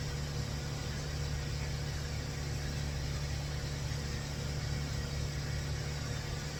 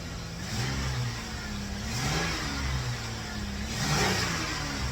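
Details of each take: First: 2004 Toyota Avalon cold start after timing belt and O2 sensor wiring work; O2 sensors reading no volts. Steady, even low hum, slightly rough but no knocks or misses. Normal healthy cold idle; roughness not attributed to O2 sensor. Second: 2004 Toyota Avalon after timing work (previously a tooth off) and O2 sensor wiring repair, cold start and free revs: slightly uneven, lumpy note; a little rough, though owner suspects not the O2 sensors.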